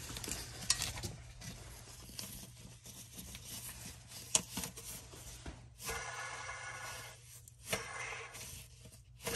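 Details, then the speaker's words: 2004 Mustang Cobra with the clutch cable disconnected and fork pushed back: hand-spinning the throwout bearing gives a dry, gritty rasp. The bearing is failing and starved of grease, leaking grease onto the retainer sleeve and seizing. "so that sounds pretty bad here's another view of it with the transmission off the car and if you look closely at the front of the retainer sleeve you can see some grease buildup that's actually come out of the throw out bearing"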